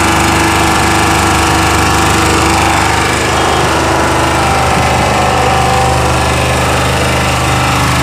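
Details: Chinese 2000 W generator running: steady but rough with an uneven clattering knock over the engine note; cause unidentified.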